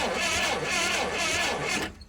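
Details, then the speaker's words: Old Clark forklift, bought unseen at auction, cranking with one cylinder open: rough, airy two-second crank with no firing; the engine spins over and has compression, but an ignition or distributor problem is suspected. "All right, so that's good that it's spinning over, and it sounds like it's pushing compression out of this open cylinder. Yeah, it's got compression, so that is really good."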